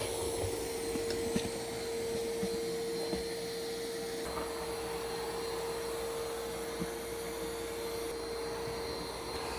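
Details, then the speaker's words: New iRobot Roomba Plus 515 vacuum-mop combo cleaning a floor of kitty litter, perimeter then straight lines: steady mid-pitched motor whine with light bumps and ticks over the floor; running normally. "So it does the perimeter of the room first, and then it's going to go back and forth in nice straight lines."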